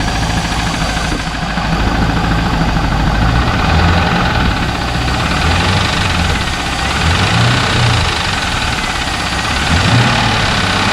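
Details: 2001 Pontiac Trans Am LS1 V8 idling after 300 miles of driving with a knock: dull, uneven knock about three beats a second through the rumble; cause unknown, oil filter to be cut open, additive treatment tried.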